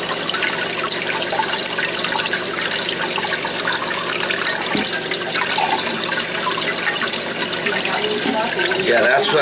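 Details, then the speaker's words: Toilet tank with a steady hiss of water trickling into the bowl that never shuts off. The fill valve float sticks against the tank side, and repositioning it so it swings freely fixes it. "that's what's happening. It's sticking. And then you hear it, I get every night and I hear it, and I'm like, I moved it over a little bit."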